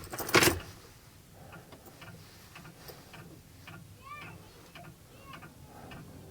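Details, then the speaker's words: Ford 7.3L IDI diesel dually, parked three years, about 50°F; light sharp clicks about every half second over a quiet background as the mismatched glow plugs warm. Glow plug relay cycling. "I can hear that clicking. The glow plugs are warming up. They're mismatched, like I said, so they're not warming up appropriately."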